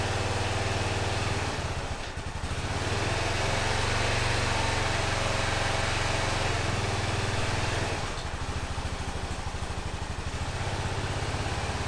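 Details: 2005 Honda TRX650 Rincon, 650cc single-cylinder four-stroke, after carburettor float valve repair: steady single-cylinder thump, even beat, no misses or stumbles, idling properly.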